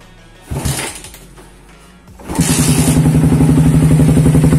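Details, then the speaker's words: Suzuki Satria FU single-cylinder with a WRX exhaust, glasswool about eight months old, before replacement: fires up to a quick popping idle with a thin, tinny, rattly note. The silencer packing is worn. "coba dengerin suara Ih episode Karang soalnya udah cempreng soalnya makanya ganti selalu"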